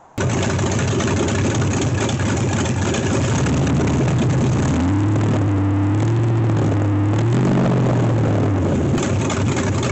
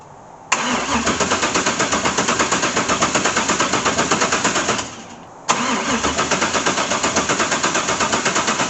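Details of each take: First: LS1 V8 swapped into C3 Corvette, first start after fuel rail O-ring replacement, cooling fans not yet hooked up: steady even idle with deep lumpy burble settling smoothly; engine healthy. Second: LS1 V8 swapped into a C3 Corvette, first start attempt after priming fuel: two long runs of steady cranking at about three beats a second with no firing; spark plug showed no fuel, injectors found gummed up and totally clogged.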